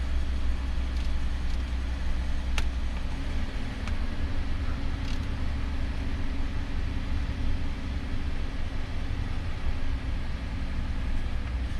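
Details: 2011 Ford F-150 3.5L twin-turbo at idle just after water pump and thermostat replacement, first start-up with HVAC on heat for coolant bleeding; steady, even low rumble with no knocks or misses while warming up. Normal idle.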